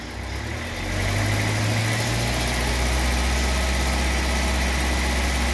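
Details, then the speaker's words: VW Fox 1.0 after camshaft and worn lifters were replaced, warmed up with the fan on at 100°C, held at 2000 rpm: a steady, even hum with no knocks or ticks; oil pressure now reaching the specified 2 bar. "atendendo aí o que a montadora pede inclusive nos dois mil RPM segura nos dois mil RPM"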